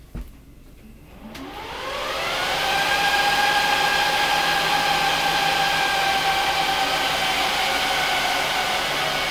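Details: HP ProLiant DL380p Gen8 server (24×4GB DIMMs, eight 300GB 10k drives in RAID 5, both PSUs, no cards) during POST: fans spool up over two seconds into a loud, steady high whine with an even airy rush. Normal full-speed fans.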